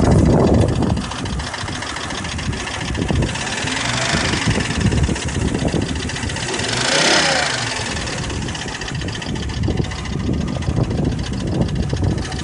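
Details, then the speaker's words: 1996 Volvo 850R, automatic, 214,xxx miles, suspected of overboost and smoke from the oil dipstick, stationary at steady idle: irregular light clicking about three per second with brief revs, newly appeared, cause unknown. "that clicking noise is new but it wasn't doing that a second ago"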